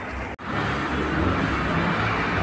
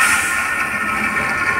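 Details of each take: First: Fiat Palio after replacing the noisy accessory-belt pulley, fixing reservoir leak and gearbox seal, clutch plate, disc and bearing: steady even idle with a smooth hum, no belt squeal or chirp; belt noise cured, normal running. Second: Fiat Palio with frayed accessory belt: steady high-pitched whirring squeal over the engine, worse at high revs, from a blown accessory belt idler pulley bearing; pulley to be replaced.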